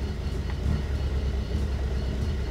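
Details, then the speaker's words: 1975 Toyota Corolla KE35 coupe warm idle, heard from inside: lumpy low rumble rising and falling unevenly; hunting idle, owner suspects air-fuel mixture, cause undetermined. "this is this is idling you can see it's sort of trying to seek it's very like up down up down um and because of that I'm thinking it's air I think it's air fuel mixture"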